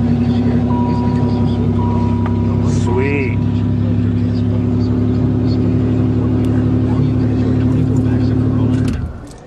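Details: 3.8 engine started on the coldest day of the year (about -16°C) after sitting about 6 weeks, with the starter first sounding wrong before it caught. It settles into a steady, even idle with a smooth low drone, no misses or knocks; a normal cold start.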